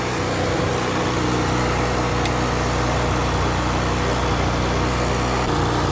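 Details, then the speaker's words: Yamaha Jog 50cc two-stroke scooter, fuel pump cleaned of gunk, after turning the idle screw outward: steady buzzy idle, rpm dropped a bit and running even with no hunting or surging; normal idle. "so as you can hear the rpm dropped a bit and is turning a little bit better"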